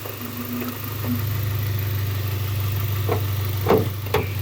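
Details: 1995 Honda Accord EX, manual, with a steady, even low idle and no hunting or surging, just light clicks in the background.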